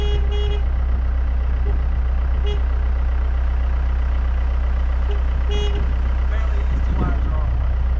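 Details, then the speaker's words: Kobelco SK120LC Mark V excavator, about 12 tons, around 7,000 hours, diesel running off the key after ignition wiring repair: settles into a steady, even low rumble with a short horn toot (wires thought to be a hydraulic kill switch); normal. "So, we are running off the key again, which is a good good news."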